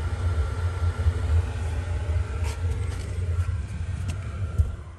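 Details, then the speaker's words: Atwood propane furnace in a Ballard travel trailer after replacing the circuit board: even, low burner roar holding steady without sputter or pulsing; normal ignition and burning after repair. "did that sound guys burning sound through it and that's the good sound"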